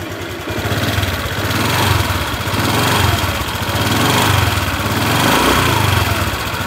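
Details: 2021 Honda New Vario 150 FI, heavily used (likely online ojek) scooter: idle runs slightly rough, surging gently with fine ticking; workshop suspects internal engine part wear from heat and friction of active use, not confirmed.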